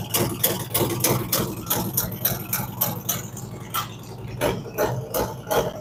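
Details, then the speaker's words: Freshly built V-twin on fire-up after cam and big bore kit, ThunderMax initial idle tune adjusting each cylinder, rich while cold; lumpy uneven potato-potato exhaust pulses, slightly hunting, expected to even out; normal cold idle. "so I'm going to start it gonna be a little loud so just bear with me"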